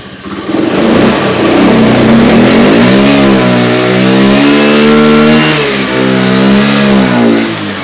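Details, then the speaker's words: Honda Beat FI scooter on its center stand: revs unevenly, the note wavering and sagging, sometimes stumbling on throttle; off the stand it stumbles worse and stalls, caused by a burnt stator charging wire. "dan di kadang di gas blebek kadang tidak kadang tidak"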